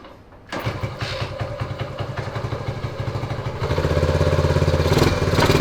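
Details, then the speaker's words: 1979 Honda Trail 90 (CT90, 90cc single), first start in years: chugs unevenly and hesitantly, lumpy, at about 200 beats a minute; runs only with the choke on, then dies. Cause not confirmed. "it likes running with the choke on yeah"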